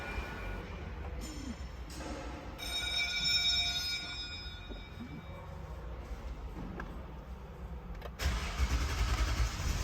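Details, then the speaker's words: Toyota Sequoia with long-start complaint and bad fuel pump; starter turns in bursts then grinds several seconds before catching; fuel pressure lost after the line was opened to fit a fuel pressure gauge; extended cranking. "देखें जी गाड़ी की starting जो है अब भी इस्तीफा भी लंबी हुई है क्योंकि हमने फ्यूल गेज को लगाया उससे पहले पाइप को रिमूव किया था तो इसलिए अब स्टार्टिंग थोड़ी सी और ज्यादा लंबी हो गई है"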